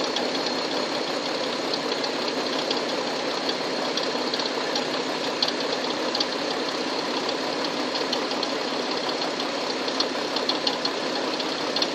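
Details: Hyundai Tucson engine knock: steady engine hum with faint, irregular light taps about once a second; cause not identified.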